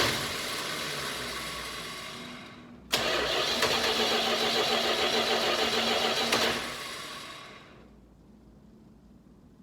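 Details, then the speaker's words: Dodge Charger, 318 V8, new Amazon carburetor, cold garage: steady starter churn at about four beats a second for several seconds, then a brief catch that fades. It is a hard start; the owner suspects the carb or fouling spark plugs, unconfirmed. "but then i went somewhere and she wouldn't start up i don't know if the carb is out of whack or maybe the spark plugs are starting to foul up on me so i'll crank her over see if i get it fired up"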